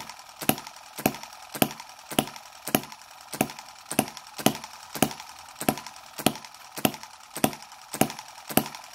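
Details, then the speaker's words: Microcosm M17 1.6cc hit-and-miss model engine on an over-rich mixture: sharp firing pops about twice a second with quiet gaps. It collects the richness, then floods and dies, and is cleared by holding the exhaust and turning it backwards and forwards. "yeah it has yep it sort of collects the richness saves it up and then dies..."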